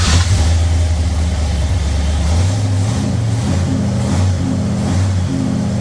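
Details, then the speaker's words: Ford Thunderbird Town Landau after 460 V8 swap with C6 transmission and custom motor mounts, run with good oil pressure, carb suspected high float: deep V8 rumble rising and falling cleanly with throttle, no knocks or ticks; healthy idle and revving. "Well, we got good oil pressure. Thing seems to be good. Hear any weird noises?"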